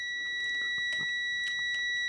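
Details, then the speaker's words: Multimeter on continuity with the leads shorted: a steady high-pitched tone under a few probe clicks; it beeps normally but reads 4.2 ohms where other meters read about 2. "Here's our beep test right here. Well, this meter is reading a little high."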